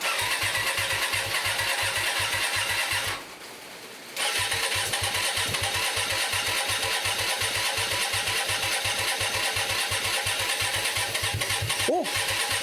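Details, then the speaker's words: Hyosung 125cc V-twin motorcycle, about 7 years old, standing 2 years, carburetors just cleaned, first start attempt with some choke: starter churns evenly, about three compressions a second, no firing; cranks but won't start. "let's give a little bit of Choke [Laughter] doesn't look good does it nothing's happening let's try again"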